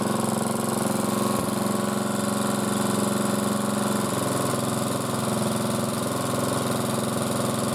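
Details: Hard-worked single-cylinder motor-cultivator, which knocked and stalled in autumn, runs at fast idle after valve clearances were checked (intake 0.20, exhaust 0.15): steady, even beat with no knock or clatter; normal running.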